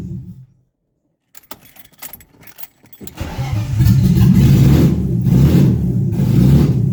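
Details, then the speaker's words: BMW E36, 2.8L engine with ZF 5-speed, first start after refitting engine and gearbox: keys rattle, then it cranks and catches into an uneven, lumpy run that never smooths out. Vacuum line now connected; cause unclear. "[Music] foreign a bit rough there's no math there's a vacuum light now connected and all that kind of good stuff"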